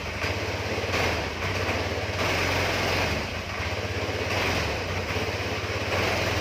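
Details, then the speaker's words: Honda Vario 110 carburettor scooter that dies or stumbles (brebet) when throttled: small single-cylinder revving unevenly, beat faltering and sagging as throttle opens; cause unconfirmed, possibly carburettor, its diaphragm, fuel, compression or ignition. "di video kali ini saya kedatangan Vario karbu 110 dengan keluhan motornya waktu kita gas langsung mati ya brebet alias brebet seperti di video kemarin yang Honda Scoopy"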